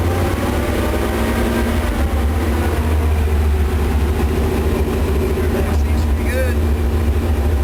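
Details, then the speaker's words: Chevy 454 big block V8, rebuilt with valve reliefs ground into the pistons for a higher-lift cam after piston-to-valve clearance damage. A deep, steady rumble with no knocks or misses after the earlier miss. Normal running. "good it's running again got really really really sounds good I know I was missing okay and there it is it's running and I'm satisfied"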